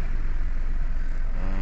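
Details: Toyota Wigo idling after repair of cylinder 2 misfire (injector circuit code); codes erased, rescan shows no trouble codes, check engine light no longer appears, aircon on; low, smooth, even idle with no stumble or skipped beats.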